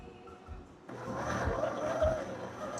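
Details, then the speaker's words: Ninja Luxe Café espresso machine grinder after adding washer shims to the burrs, at grind setting five: steady even whirr with no labouring, grinding better than setting three which struggled; normal grinding. "That sounds better. It's It's definitely grinding better. So, those washers helped."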